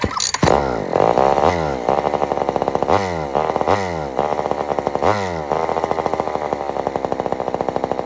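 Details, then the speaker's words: Old Sears Explorer II chainsaw after carburetor cleaning, being tuned with mixture screw: revs surge and sag in repeated swells instead of holding steady, muffler falling off; running out of tune with a loose muffler. "is not normal at all I got to definitely adjust this really really really good I'm just going to screw it all the way in we'll see what happens now first off this Muffler is falling off which I don't don't think that's normal for a muffler just to start falling off"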